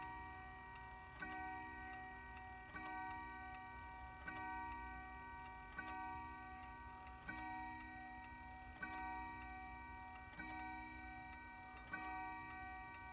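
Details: Howard Miller 612-581 triple chime regulator wall clock after replacing the broken time-train spring and barrel and fitting a new suspension spring, cleaned up: steady, even ticks with a bright chime ringing over them; regular beat, running normally.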